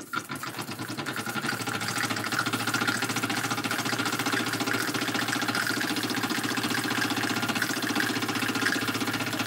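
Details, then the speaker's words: Small model steam engine running with hot boiler: quick chuffing about four beats a second with wet, sputtering dribble; water carry-over (priming) because boiler is too full, less dribble when not quite as full. "if the bottle is not quite as full then we don't get this dribble"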